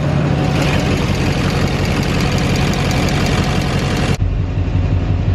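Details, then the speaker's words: Duramax diesel V8 idling: quick, light typewriter-like injector tick over the low rumble, seeming to come from cylinder 8; injector balance rates later look normal. "you can hear that rejector kicking noise right there it sounds like it's coming from cylinder 8 I got one on this side"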